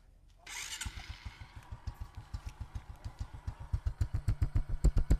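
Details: Suzuki FU Neo after repair with new clutch and replaced bearings and drive shaft: starts and settles into an even low thump around 220 a minute, no knock or clatter; engine runs healthy.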